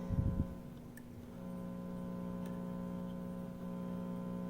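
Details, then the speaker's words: 1946–47 Packard-Bell 5R1 All American Five tube radio with a low-volume fault; at minimum volume a low, steady hum with no station, gone at full volume; owner suspects connections. "turning the volume all the way down I hear a little hum but just a minute ago when I had full volume that went away"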